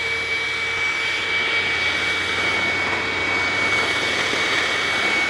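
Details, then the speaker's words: Hoover WindTunnel self-propelled vacuum on carpet at high setting, self-drive on: steady high whine near 2 kHz over a rough rushing hiss; runs very oddly and won't turn off normally, cause not yet found. "yes it it runs very oddly and of course it doesn't turn off normally that's kind of weird"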